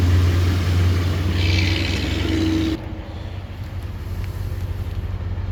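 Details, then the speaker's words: 2021 Toyota Tundra 4x4 lifted, pre-purchase inspection: after a louder opening, drops to a low, smooth, steady idle with no tapping or roughness; engine sounds healthy, a little smoke noticed. "there engine sounds good"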